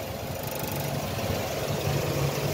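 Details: Engine in neutral after cleaning dirty spark plugs that caused heavy misfiring: short steady idle with even low hum and no skipping beats; missing cured, running smoothly.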